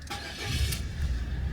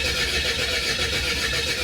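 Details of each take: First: Car engine after a cambelt replacement, second start attempt after refitting the HT leads (owner hoped it wasn't flooded): catches on the first crank and settles into a steady, even, smooth low idle, with the belt running nicely. Normal start and idle. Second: Car engine cranked at night with the HT leads left disconnected: steady starter churning at about four beats a second with no catch or firing. Cranks but won't start because the ignition leads were off.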